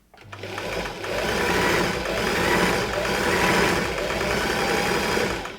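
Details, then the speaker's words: Australian-made Singer 328P sewing machine, worn motor belt, after oiling vertical shaft top and bottom bearings: fast, even mechanical chatter at steady speed with no catches or grinding; noisy but strong, running better. "Yep, pretty sure it's sounding better. Though not the quietest machine around. Seems fairly strong."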